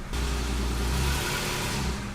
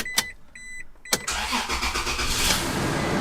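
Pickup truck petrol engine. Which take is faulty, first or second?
second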